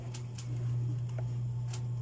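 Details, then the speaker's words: Dowell electric fan motor after adding a washer to replace the worn thrust washer and take up shaft end-play: smooth, steady low hum, only a faint tick, no rattle or vibration; running normally. "Wala nang ingay guys. Diba, wala nang vibration."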